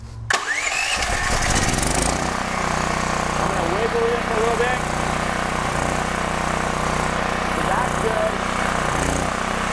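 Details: DuroMax XP13000HXT tri-fuel generator on gasoline after realigning the micro switch: catches within half a second, steady even drone with constant low hum.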